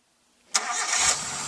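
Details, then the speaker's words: Car engine after DIY carbon cleaning of cylinder head, combustion chamber, throttle body and spark plugs: quick crank, catches cleanly within a second and settles into a steady, even idle with no misfire or rattle; sounds smoother, more powerful. "Weh, suara mesinnya luar biasa nih. Tuh, balik semua. Weh, suaranya halus, lebih bertenaga."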